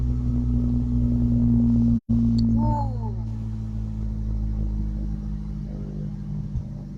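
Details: 1991 Ford Ranger whose fuel pump runs through a kill switch with a loose wire, temporarily fixed: engine settles into a steady, even low hum at idle, no misses or knocks. Normal idle.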